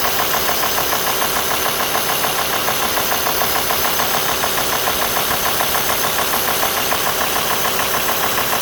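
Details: Warm diesel idle at 90 °C water temperature on an Alfa Romeo 2.4 JTDm: a sharp, regular metallic knock, about two per second, over the diesel clatter; the cause is unclear and unconfirmed.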